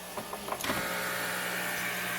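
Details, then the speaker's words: New diaphragm air pump for a fishroom central air system, dry-fit PVC piping: a few clicks at switch-on, then a low steady hum with soft airy hiss from the air diffuser silencer; pump runs nearly silent. "not bad pretty much can't hear that at all what I can hear is the air diffuser over here air silencer"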